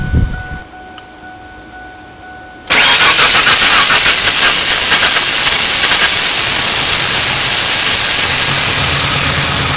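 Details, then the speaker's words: 1997 Ford F150 after cleaning the idle air control valve and battery disconnect, relearning idle: quiet pause, then engine catches abruptly and settles into loud steady idle; idling better already. "sounds like she's idling better already"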